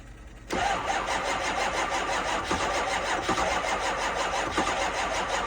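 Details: 2005 6.0 diesel, cold start at 15 degrees in New York, on two batteries and a jump pack: starter grinds on steadily with slow, heavy pulses but the engine never catches; cranks without starting, cause unconfirmed.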